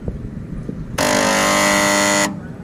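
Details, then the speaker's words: Seized (ngejam) air conditioner compressor: a loud steady electrical buzz for about a second, then it cuts out, humming without turning over; next step is replacing the 35 µF capacitor with a 50 µF one. "Oke, bisa dilihat kondisi kompresornya ngejam, tidak bisa start."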